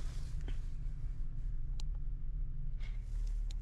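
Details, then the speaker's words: 2015 Ford Transit running rough, misfiring like crazy at idle with RPM bouncing: deep uneven lumpy rumble; codes for camshaft actuator circuit open, cylinder 6 injector circuit, misfires in 1, 5 and 6; cause found to be VVT (P0013) after injectors and PCM already replaced. "Okay. So it's missing like crazy. I don't know if you could tell in the video, but if you watch the RPM gauge, it's bouncing a"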